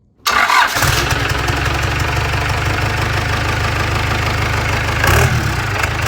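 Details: 4BT Cummins diesel on an engine stand, about 98,000 miles, with a Bosch P7100 pump, high-torque starter, upgraded HX30 turbo and exhaust manifold, and intercooler and radiator hooked up: short crank, then an even, solid idle with no knocks.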